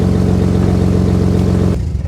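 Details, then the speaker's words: Nissan Skyline R33 RB25DET after a power steering fix (new hoses, stepped brass joiner, cap on): steering held at hard lock, the idle stays smooth with no pump whine or binding, then shutoff; quiet at full lock. "So let's double check and see if it makes noise on lock. All right, that's hard lock. That's hard lock. Beautiful."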